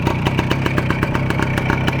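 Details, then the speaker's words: Voskhod two-stroke motorcycle, warm engine, carburetor choke flap lowered after repairs. Crisp even popping at about eight beats a second with no misses: healthy, clean idle. "Опускаю заслонку на карбюраторе, и он продолжает работать. Блин, какой приятный звук прямо, а!"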